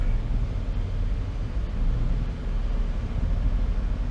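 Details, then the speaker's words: Chevy idling badly at a light; it stalled at a light the day before. Oil was changed about a week ago. Low, uneven, loping idle; rough idle, cause not pinned down. "oh chevy's idling bad when i'm sitting at a light"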